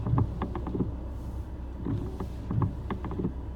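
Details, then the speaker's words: Volvo XC70 at 68,000 km, winter, idling: irregular clunks and clicks in small clusters as the wiper sweeps down; owner suspects the wiper linkage and wonders whether it needs lubrication or replacing. "Это какой-то страшный звук. Сейчас я вам его покажу. Вот, слышите? Такой. Когда дворник опускается, что-то идет не так."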